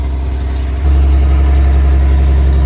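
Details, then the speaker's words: Rusty Toyota FJ40 with 77,000 miles, carbureted, running cold on choke: deep heavy throbbing idle that suddenly grows louder and boomier; owner suspects the carburetor needs a rebuild, or a vacuum leak plus an exhaust leak. "Because the carburetor probably needs a rebuild. Or we have a vacuum leak along with an exhaust leak."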